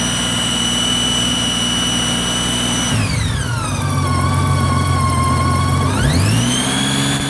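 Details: 2008 Honda Gold Wing GL1800 running: clear high whine that drops in pitch as revs fall and climbs as they rise, following engine speed. Owner suspects the alternator; cause not confirmed.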